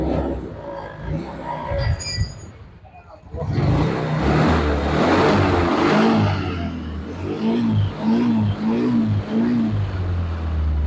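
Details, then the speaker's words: Yamaha Mio Sporty scooter after a CVT repair in which the forward-shifted kick-starter axle was fixed: revs up and settles with an even drone; the earlier rough klotok knocking, buzzing and ringing from the CVT are gone. "The engine is running smoothly again and there is no klotok-klotok sound anymore."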